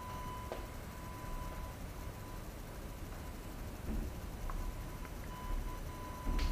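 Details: AFI VS-3SG 3-axis handheld gimbal, low-cost, recorded at night with no surrounding sounds: faint, steady high whine holding level throughout; stabiliser motors noisy enough to be heard in recorded video.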